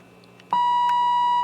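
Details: RCA 66X1 radio, radio section under signal-injection troubleshooting: a clean, steady tone near 1 kHz holds evenly for about a second, so the injected signal passes the stage normally.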